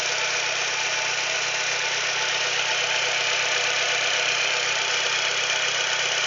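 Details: Chevrolet Celta at idle: fast, fairly even tapping of about four per second riding on a hissy top end; knock from inside the engine, owner wonders if it's a piston, cause unknown.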